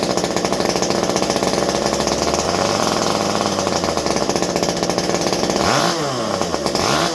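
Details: Stihl MS201T chainsaw, fully stock, about a decade old, worn, after a deep clean: a crisp, steady high-rev buzz that drops and picks back up cleanly on the throttle; normal running.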